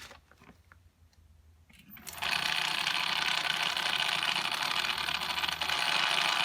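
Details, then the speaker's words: Bafang Ultra mid-drive e-bike motor, about 600 miles, battery 46–47.8 V, under throttle: quiet clicking, then a loud harsh steady grinding roar with motor resistance after shutoff; internal motor failure suspected, power cut out. "okay it's shut off and there's resistance from the motor and that sound"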